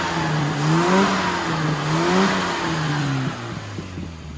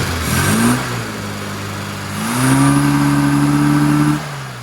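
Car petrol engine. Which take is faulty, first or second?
second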